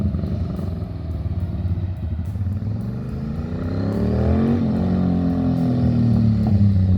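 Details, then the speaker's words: Ducati Monster M600 V-twin, won't idle and must be held on throttle; revs rise and sag with lumpy uneven beat. "and the reason it was unpleasant is not because I haven't run a bike for two years and I've jumped on a jakai but because it won't actually idle"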